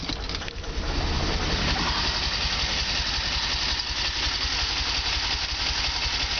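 Uneven idle with a loose, irregular beat, about three pulses a second that never quite settle; engine idling rough, cause unclear.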